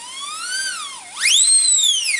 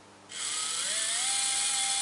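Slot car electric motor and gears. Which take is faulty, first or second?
second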